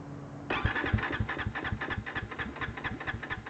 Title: Misfiring and Stalling